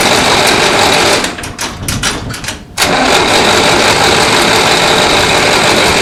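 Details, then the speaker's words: 1960s Massey Ferguson 165 petrol tractor, water drained for winter, cranks about three times a second without catching; spark confirmed, only a little gas comes from carburetor, bowl suspected not filling, needle assumed stuck; no start from fuel starvation. "I wonder if that bowl's not filling. Tap around on there."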